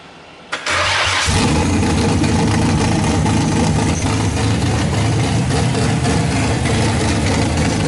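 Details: Nissan RB26 engine swapped into a Subaru WRX, first start on a Haltech Platinum ECU with a base map, Tial 44mm wastegate fitted: starter crank, then it fires into a loud, uneven, pulsing idle; rough running on start.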